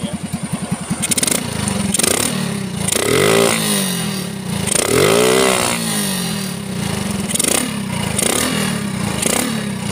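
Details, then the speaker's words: Standard motorcycle engine with a CPO PE24 carburetor: starts straight away and catches cleanly, then gives repeated crisp revs and drops back to a steady idle; top-end power has improved and it runs healthy. "Mesinnya juga bisa langsung dihidupkan. Rasanya luar biasa, tenaga di putaran atas meningkat."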